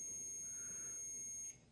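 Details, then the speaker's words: McCulloch Mini Mac chainsaw points timing check with a multimeter, black lead on the block: a steady continuity beep cuts off cleanly as the arrow reaches the mark. The points open at the correct timing. "okay so the beeps should stop when that Arrow gets to that spot bang right there hey right on the money again"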